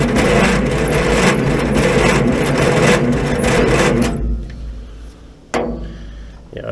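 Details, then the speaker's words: 1950s Roller saved from scrap, cranked with ether: sluggish, uneven cranking at about two and a half turns a second that drags then quits; slow cranking from low battery voltage, bad connections suspected as a cable smokes. "it's really like we're just not getting enough juice to this thing bad connections are definitely plugging us"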